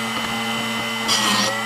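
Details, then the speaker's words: Drill Doctor sharpening a 1/2 in (13 mm) cobalt drill bit. Steady motor hum, then about half a second of grinding hiss past the set range, rounding the tip. Owner suspects the depth adjustment is set too far in. "It shouldn't go past, but you can hear that when it gets on this side, it should only sharpen through this range here. Once it gets over here, it shouldn't be touching it anymore, and that's what's creating that rounding."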